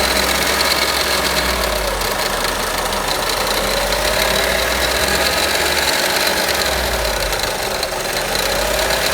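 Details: Audi A1 1.4 TFSI 185 hp petrol engine at steady idle: rough, uneven clatter with a hissy high edge over the running engine; abnormal engine noise, cause unclear.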